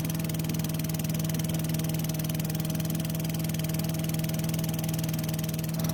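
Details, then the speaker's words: Craftsman chipper vac with Tecumseh engine, long stored, now holds a constant speed with an even beat of about four firings a second, no over-revving as before (suspected stuck governor); runs well despite low compression. "so this time it ran much better and it didn't over rev like it did before all in all it's actually a great running engine despite having low compression"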